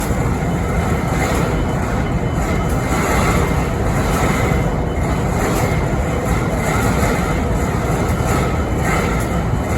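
Deep, steady diesel rumble with a faint recurring swish and hiss over it; locomotive idling with an odd noise of unknown origin.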